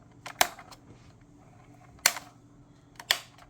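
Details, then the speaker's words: 2011–2014 Chrysler 300 replacement turn signal/steering angle sensor switch, sold as genuine Mopar, is worked by the stalk. Three hard, sharp, irregular snaps; harsh and notchy compared with the smooth original, so it is going back. "This cannot be a Mopar part. It really can't be, even though it was sold that way with the Mopar part number and everything."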